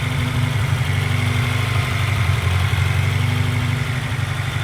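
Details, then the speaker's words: Honda CR-V with misfire, throttle cable adjusted, idling about 1,500 rpm: steady fast idle hum with no dip, above normal warm idle; high idle, vacuum leak suspected. "What are we at here? It's about 1,500. So, I mean, in all reality, I mean, if it were to drop down to 1,000, I think we would still have a vacuum leak."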